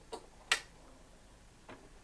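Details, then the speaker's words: Trash-picked 90s Aiwa PX-E855 automatic turntable, set to 7-inch single and push start: a few light, crisp mechanical clicks as the auto-start tonearm cycles, music playing; normal auto-start cycle, nothing horribly wrong. "this seems to work alright look at that and you can even you the music so there's nothing horribly wrong with this"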